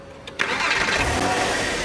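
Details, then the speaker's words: Porsche 911 that was slow to start, after replacing the faulty battery cable and fitting a new Bosch starter: brief fast starter whir, then the engine catches within a fraction of a second and settles to an even idle; confirmed fix. "so you can't hear the starter labor too much but the starter is spinning up so fast the engine can actually start faster now"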